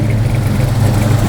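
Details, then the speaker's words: Freshly installed 450 hp Blueprint crate V8 with a carburetor, first start: deep, steady rumble with an even lopey big-cam beat, all eight cylinders firing cleanly at idle with no misses; sounds mean but healthy. "sounds mean."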